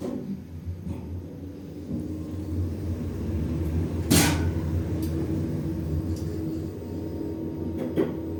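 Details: 2011 Schindler 5300 lift with a replaced keypad panel, which normally runs well, travelling down: low rumbling with irregular knocks and bangs; abnormal, worrying rumbling during descent, cause unknown.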